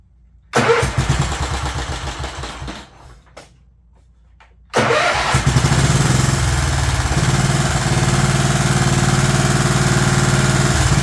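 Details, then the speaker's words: Scotts S2048 riding mower after fuel tank cleaning, PTO engaged: engine fires, labours and dies within three seconds, then restarts; mower deck blades found locked up. "just turn them on let's just do it [Music] hmm it died"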